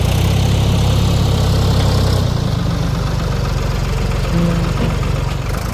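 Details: 1973 Ford 4500 industrial diesel backhoe, revived from scrap, digging stumps: deep steady diesel rumble easing to a lower even beat, no knocking or stumbling; machine ran great all day.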